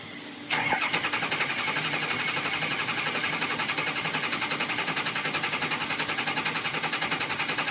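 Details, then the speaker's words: 2006 Ford Econoline 6.0 Powerstroke diesel, crank no start: steady fast starter cranking near 210 per minute that never catches; IPR at 85% with no ICP build and no base oil pressure. "I have absolutely no oil pressure and you can also hear that when they don't have good oil pressure"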